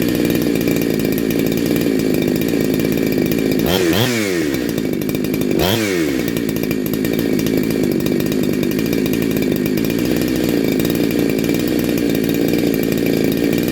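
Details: Neo-tec NH872 chainsaw (372XP clone) with a big bore kit, on a cold start during its second heat cycle. An even high buzz with two clean blips settles straight back with no stumble or misfire, sounding awesome.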